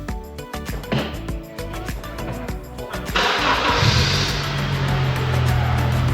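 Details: Used car, after a new battery was fitted following earlier trouble starting it: about three seconds of cranking, then it catches cleanly and settles into a steady run, with music in the background; normal start.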